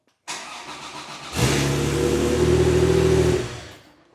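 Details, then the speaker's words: Porsche 911 with 915 transmission after swapping in a high-torque IMI starter (clamp meter reading about 166 A max): brisk, even cranking at about four turns a second, then the engine fires and settles into a steady idle; healthy starter. "Definitely sounds different. That's interesting."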